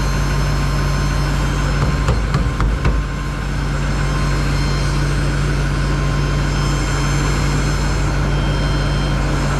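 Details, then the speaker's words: 2021 GMC Denali Duramax diesel after rebuild, sitting since November, good oil pressure: a steady high-pitched whine over a rough idle that doesn't follow the engine beat; suspected in-tank lift pump, quieting, possibly air in the system. "it sounds like it's coming from the lift pump inside the tank I don't know it's getting a little quieter now but maybe it just had a bunch of uh bunch of air in it"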